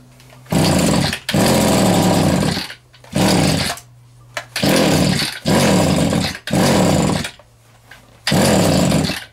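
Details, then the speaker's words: Vintage Echo two-stroke strimmer while the carb low and high needles are adjusted: buzzy revving bursts die back to a weak low idle. Owner says it sounded like it needed more fuel and finds nearly no compression; lean running, low compression. "all right so the lower ones on the right hand side that one there and the high ones on the on the Left sounded like it needed a bit more fuel"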